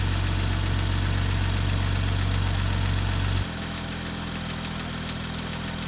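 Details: BMW M2 N55 engine, cold start warming up: a quick, even tapping appears at about 25–28 °C oil temperature and then settles, valvetrain tap from incorrect exhaust camshaft timing, resolved under warranty.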